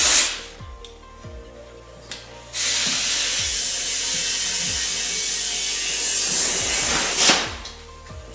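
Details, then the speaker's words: Tire being mounted at home with prybars: steady loud hiss for about five seconds during inflation, valve core left in, light tool clicks; air escapes past the unseated bead, so the bead is being shifted to seal. No bead sealer on hand. "As you can hear, the air is getting out, so what I'm trying to do is move the bead around so I can hopefully just get it to where it seals itself."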